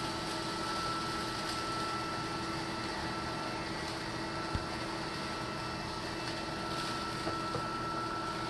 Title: Litter Robot 3 - Popping noises